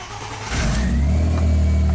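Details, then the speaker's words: 2005 Audi A4 swapped from 2.0 turbo to 2.7 turbo V6, crank no-start with hacked wiring harness: with key-on power jumped to the green/yellow ECM fuse wire, short crank then engine catches and settles to steady even idle, check engine light on. "So here's a fuse jumper. Let's see if it works. Check engine lights on."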